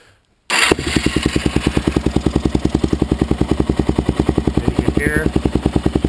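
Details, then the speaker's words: Suzuki LTZ (DRZ-type) single-cylinder idling after a do-it-yourself automatic cam chain tensioner fix; earlier ticking noise now gone, steady even thumping about 3.5 per second, quiet top end, running normally. "not that loud ticking anymore so pretty good"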